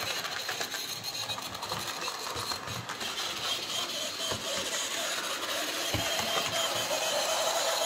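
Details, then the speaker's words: Hornby J36 model locomotive, bought new that year, run after months unused: thin high-pitched screech over rapid light mechanical chatter, building as the motor keeps running, same in reverse; lack of lubrication suspected. "it does the same in reverse so something's clearly not quite right there um could just be a little bit of lack of lubrication"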